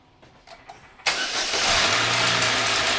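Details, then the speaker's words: 2003 Pontiac Sunfire 2.2L Ecotec L61 restarted after removing broken timing chain guide pieces: cranks, catches, then a fast ticking rattle about three per second over the idle. Timing chain slap persists, little improvement. "Okay, so it's not too bad. Not much of an improvement, but at least we know we got some loose plastic"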